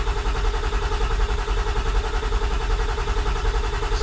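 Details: Ford 7.3 diesel with HPOP trouble and air bubbles in the HPOP oil, cranking after glow plugs at a steady ~80 beats a minute; it turns but never catches, as injection control pressure reaches only a little over 300 psi.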